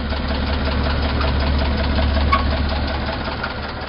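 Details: Petrol engine after Motor Medic flush added to the oil: idle with a faint quick lifter tick over its low hum, quieter than before but still needing attention.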